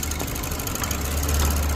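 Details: 2007 Lexus IS250 with no-start, battery light on, no check engine light; runs after jumping the starter relay under the hood; steady even low rumble, then cuts off cleanly.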